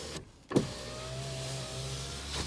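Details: 2010 Ford Focus 2.0, 138,154 miles, front-end collision no-start, checked on jump box power: smooth two-second window motor whine at steady pitch with a clean clunk at each end; normal power window operation.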